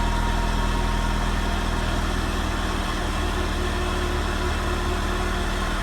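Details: Renault Megane RS Cup 225 after fuel pump assembly replacement, low on fuel: steady, even idle with a faint constant hum from the new fuel pump, audible unlike the old one; no leaks seen, runs smooth and healthy.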